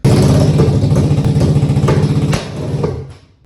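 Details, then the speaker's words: 2014 Polaris RZR 900 XP with aftermarket exhaust idling loud and lumpy with uneven low thumps, running on only one cylinder and shooting flames from the exhaust, then cutting out; later found a spun rod bearing. "once I got it back to the shop I realized it was only running on one cylinder it was literally shooting flames out the"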